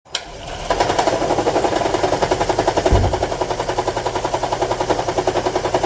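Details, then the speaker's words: Toyota Estima E-Four AHR20 heavily shaking at idle: rough rhythmic rattling pulse about three or four a second; codes P0300, P0301 and P0302 show misfires on cylinders one and two, and ignition coils are being swapped to troubleshoot. "okay as you can see the engine is heavily shaking okay as you can see four is occuring is uring in number one number two on number one cylinder"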